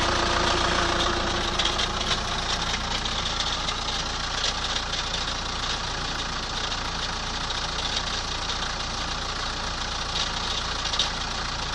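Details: 2003 Chrysler Voyager 2.5 CRD diesel near idle: a rough, fairly regular knock about three to four times a second over the clatter. Abnormal engine knocking; cause not pinned down.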